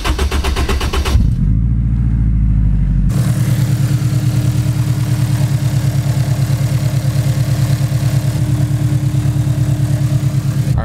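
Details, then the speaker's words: Turbo Honda S2000 AP1 (Precision 58/58 turbo, custom manifold, Haltech ECU), cold start after sitting a couple hours; ticking appears only once warm: quick crank, even steady idle with no ticking; normal cold start idle. "so that all sounds perfectly fine but I'm gonna drive it over to the shop which is only like five minutes from my house and we're gonna see if it starts making the noise again"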